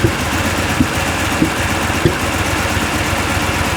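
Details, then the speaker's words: 1994 Chevy Corvette with a cold misfire despite new distributor, water pump, plug wires, cap, rotor and plugs, during a cylinder test with the cooling fan running: heavy loping thump, won't rev, near stalling. An injector circuit code then set. "starting to die on me. It's like hardly running. It won't rev at"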